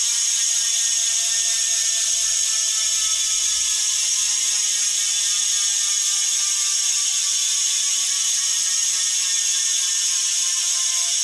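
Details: Bontrager Aeolus Pro 3V wheel with DT Swiss internals on 2022 Trek Domane SLR7; fast, even high-pitched buzzing click steady while coasting; normal healthy freehub ratchet clicking.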